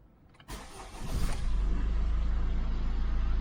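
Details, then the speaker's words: Car with an owner-reported starting problem, parked a few minutes, battery tested good: short, quick crank catches right away and settles into a steady, even idle; cranking test read slow but start sounds normal. "Seems to be starting up fine. I did put the battery tester on it. The battery tested the battery is good."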